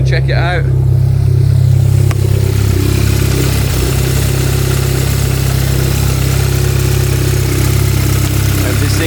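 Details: Stage 3 VW Golf R Mk7, first start after months standing, with 980cc multi-port injectors and an RPC intake manifold fitted, not yet mapped: loud low drone at idle with a slightly lumpy beat; rough running with the throttle body not attached.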